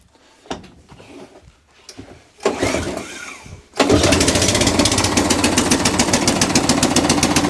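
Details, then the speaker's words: ATCO Balmoral cylinder lawn mower after a throttle cable and carburetor fix, started on choke with a small carb fuel leak: a few pulls, then it catches and runs at a quick, even idle, then full throttle, with no misses. "Lovely. So the cylinder works. They're idle."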